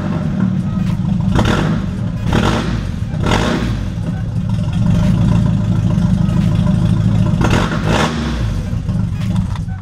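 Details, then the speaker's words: Mazda Miata with 1.8 engine swapped in for the 1.6 using DIY wiring, first start with no exhaust fitted: fires immediately and settles into a loud, raw, uneven lope with open-header bark; runs fine. "and as you can hear she fires up immediately I'm very thrilled as you can see big smile on my face"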